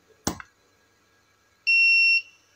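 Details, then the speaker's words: Tronic Alfa 800 studio monoblock flash, previously with power drop and calibration faults, tested after repair: sharp pop as it fires, then about 1.4 s later a clean half-second ready beep; power no longer drops, recycling normally. "makanya tembakannya walaupun suaranya enggak begitu ngeri tapi efek panasnya berasa gitu teman-teman"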